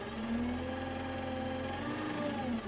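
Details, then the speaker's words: Claas Axos 3 compact diesel tractor at raised revs: a steady, even, healthy hum with no grinding. The unpleasant grinding heard at lower revs, which the owner suspects is the pump, disappears when revs are added. "Ale to jest takie, tak jak ten silnik sobie pracuje na ciut wyższych obrotach i w ogóle na wysokich obrotach jest przyjemnie. Jest ma fajną kulturę pracy."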